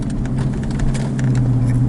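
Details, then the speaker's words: Warmed-up Hemi V8 pulling away slowly: light, fast, uneven ticking over low rumble, first heard after aftermarket exhaust fitted, never with stock exhaust; owner unsure if Hemi tick or exhaust leak. "you can hear it now it's that ticking noise right there and i that that crap is driving me crazy ever since i heard it"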